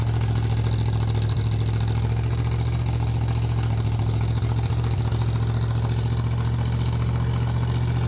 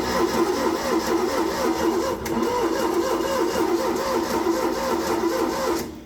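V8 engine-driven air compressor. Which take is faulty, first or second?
second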